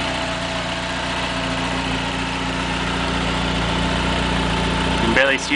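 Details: 1995 Dodge Neon ACR with complete 2004 SRT4 engine, transmission, fuel system and PCM swap, startup; steady, even idle with smooth low hum, no knocks or misses; normal idle.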